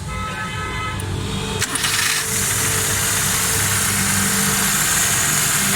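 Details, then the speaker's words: 2006 Daihatsu Cuore, carburetor after 7 km/litre fuel fault, jet enlarged two sizes, non-working choke adjusted, full service: starts, smoking, steady raised automatic fast idle with even hum, horn toot early; normal choke fast idle. "सारी start है, गाड़ी smoke दे रही है। देखिए automatic race है गाड़ी।"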